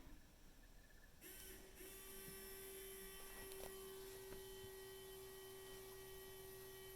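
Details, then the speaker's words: LML Duramax with a factory GM lift pump from an LGH chassis added and temporarily hardwired, engine off. A faint, steady mid-pitched hum as the pump builds CP4 inlet pressure to about 5.2 before the relief opens; running normally. "hear the, I don't know if you guys can hear the pump running on the audio there, but it's kind of getting right up to about 5.2 or so."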